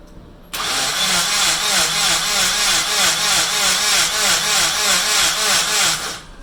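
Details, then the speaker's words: Rebuilt Nissan KA24DET turbo engine cranked with the fuel pump and ignition disconnected to build oil pressure: a steady fast starter whir with an even pulse about three per second, never catching. Normal cranking, no firing. "now the batteries in i guess let's start cranking see how long it takes for this pressure to build"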